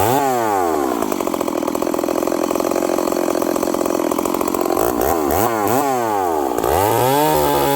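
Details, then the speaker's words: Stihl 038 Magnum chainsaw with carburetor issues: burbly, uneven revving and slow to come back down to idle, running really rich and smoking, with the muffler front open and getting chain oil on it. "It's smoking. This thing's not coming down. It's running really rich. It's coming down to idle and it's kind of fogging out."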